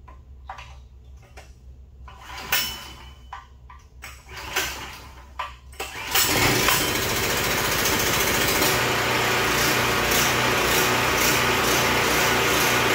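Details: Predator 4375 watt generator after stator and rotor replacement (previously started but barely ran, no power); quiet handling noises then engine catches and settles into steady, even run, no misses or knocks; outlets now giving 110 V; good running.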